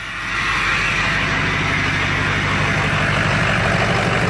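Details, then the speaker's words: 6.0 Powerstroke diesel just started after an injector replacement to fix a misfire: an even idle clatter with a loud turbo whistle and no stumble; it sounds healthier and the misfire is fixed. "Sounds a heck of a lot better. Sounds a lot healthier."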